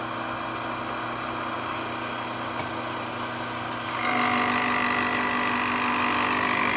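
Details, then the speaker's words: Manual lathe boring and facing a Harley-Davidson FLH belt-drive pulley at a 0.009 in feed with an insert tool: an even hissing cut that grows louder as it bites, with no squeal or chatter. Smooth turning cut, insert performing well. "All right, that's working well, and I think our insert's doing good too."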